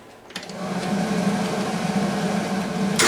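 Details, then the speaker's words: 1997 Argo Conquest engine suspected blown, rocker shaft removed: quick even three-second starter crank with steady pitch, engine spins freely and starter sounds healthy; oil light comes on. "oh yeah all right enough of that forward motor twos on and the oil light's on now too so that's good to see"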